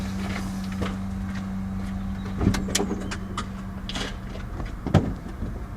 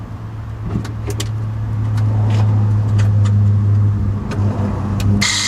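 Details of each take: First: 8-year-old Tesla Model S 85 after replacing the brake vacuum pump, which had been noisy when the brake pedal was pressed; microphone close to the pump under the bonnet exaggerates it: steady low electric hum with handling knocks; virtually silent from inside, issue fixed. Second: 2014 Tesla Model S 85, 8 years and 106,000 miles, pressing the brake: a steady, low droning hum with a coarse buzz from the electric brake vacuum pump, expected wear at this mileage; worn noisy pump, replaced.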